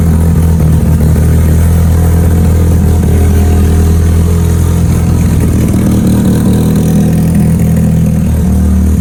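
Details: Mitsubishi Evo turbo build for dyno prep after home upgrades, already driven: deep steady even idle with no knocks, misses or surging; fires up good, sounds healthy before boost leak test.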